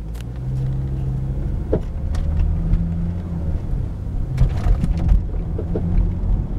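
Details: Volvo S60 while driving: irregular, intermittent sharp knocks break through a steady low road rumble.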